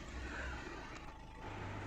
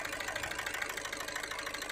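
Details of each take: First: Skoda Rapid/Fabia 1.6 TDI diesel after 15-minute adaptation procedure, restarted: low even idle clatter with no misfire stumble or uneven beat; vibration and knocking gone, normal idle. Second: Skoda Rapid/Fabia 1.6 TDI diesel at idle with check engine light and glow plug light: sharp fairly regular clatter near three knocks a second and uneven beat, heavy vibration; unplugging connectors and scanner codes show injectors 1 and 4 not working.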